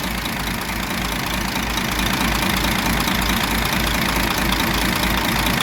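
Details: DAF 105 truck diesel with 600,000 km, idling after rocker shaft and valve cover work for a knock heard through the air intake; steady, even pulse about 3.5 beats per second, no obvious knock, sounds healthy.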